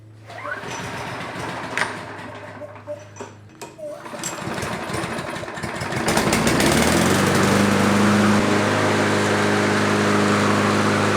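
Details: Troy-Bilt TB320 mower, Briggs & Stratton 725 series EX 190cc, with the choke spring missing. Further restart test: a few pulls and clatter, then it catches and settles into a steady, even run with no misses. Normal running.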